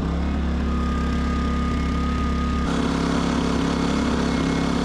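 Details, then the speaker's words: Westinghouse iGen 2500 generator after no-start: engine surges at idle, pitch hunting up and down; little brass idle jet near the electronic throttle control suspected. "this thing doesn't like to idle it it does idle but it surges let you listen to it"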